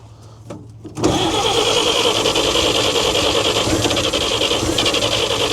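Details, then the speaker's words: 1942 Chevrolet Blitz CMP 4WD truck, 216 petrol straight-six, sat for years: long steady fast starter cranking with no catch, won't fire; owner says she's flooded, later suspects possibly not enough fuel. "Nice and flooded. I would just say she's flooded."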